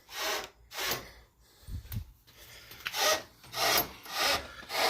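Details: Can-Am Outlander ATV: rhythmic dry scraping and rubbing, about one or two strokes a second, as the steering is rocked with slop while the front wheel stays still; worn inner tie rod, to be replaced.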